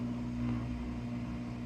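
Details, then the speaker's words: LG washer after replacing a bad drain pump that had caused an OE no-drain code: a low, steady hum with a constant tone and no grinding or knocking as it drains and starts the spin cycle; healthy. "It's draining out again and starting the spin cycle."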